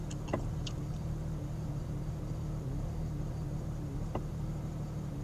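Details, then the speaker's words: 1999 Jeep XJ at full operating temperature, idling in drive in four-wheel drive with the foot on the brake: a lumpy, wavering idle with the tach bouncing and the vehicle shaking; the misfire was solved by replacing the ignition coil. "I get some vibration the engine missing sounds like a little surge and I drop a surgeon I drop makes the vehicle shake"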